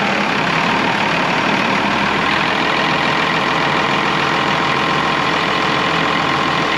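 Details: Cummins 6BT in old Oshkosh plow truck, first start in 10+ years, coolant not yet filled, run briefly: steady even six-cylinder diesel idle with no knocks or misses; healthy.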